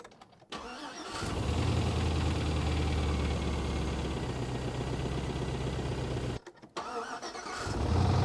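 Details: Car nicknamed Clementine after rain entered the modified intake, restarted and revved to redline: cranks, catches and runs with an uneven lumpy knock near three per second; engine likely bent a connecting rod.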